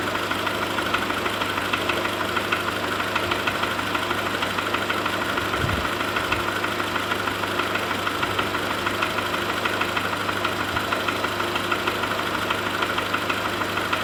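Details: VW Golf 4 1.4 petrol engine, cold idle: fairly steady light knock, roughly seventy-odd per minute, over the running note; cause undetermined.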